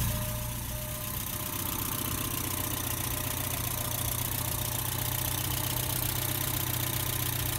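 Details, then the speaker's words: Porsche 944 Turbo, first start after engine reseal and oil pan replacement, long-stored: even, steady idle with regular low pulse, no misses or hunting, oil pressure good, boost gauge moving, alternator suspect; normal idle. "Seems to be idling well."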